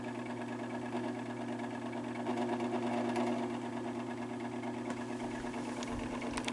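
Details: Fan motor with very bad bearings: steady hum with thin scratchy edge and faint irregular ticks; owner suspects rotor pushes back on rear motor casing, rubbing the bearing, from excess end play after a botched prior disassembly; not yet opened.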